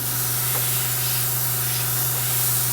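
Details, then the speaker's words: Airbrush at about 30 psi from the compressor: only a steady dry hiss of air over the compressor hum, no paint spraying. Cause unknown; the shop later sprayed it fine on their compressor. "no pain coming out [Music] i don't feel air coming out anywhere else what's my problem"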